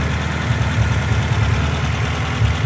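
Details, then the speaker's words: Honda CR-V with a misfire, engine held around 1,500 rpm then lowered: low, uneven idle sputtering and stumbling; expected to die in gear; fuel pressure untested, fuel or vacuum leak not ruled out. "Still a little low, but you can definitely hear it sputtering and putting."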